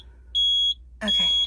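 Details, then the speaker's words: RV surge protector sounding its alarm when shore power is lost, showing "shore off". Two short, high-pitched beeps about half a second each: shore power loss alarm. "Anytime we lose power, it comes on with a shore off telling us we lost power."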